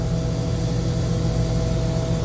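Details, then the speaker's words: Chiller after fixing low discharge superheat alarm by calibrating off sensors: steady low hum with an even drone and faint tone near 600 Hz, running normally. "like I said she seems to be doing pretty blasted good now I mean"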